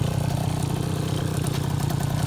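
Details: 2004 KTM 50cc Mini Adventure two-stroke after rebuild (new piston ring, gaskets, cleaned carburetor, fixed petcock, polished exhaust): quick, even buzz at steady pitch, no stumbles or rattles; clean normal idle.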